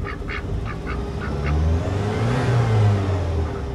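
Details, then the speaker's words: A 1988 Saab 900 Turbo with a hard-start issue, started warm after rewiring, starts more easily. The engine climbs from idle through a rev with a rising airy hiss over the roar as the turbo spools up normally. "well I would say that was an easier start I mean the the engine is warm oh can you hear the turbo"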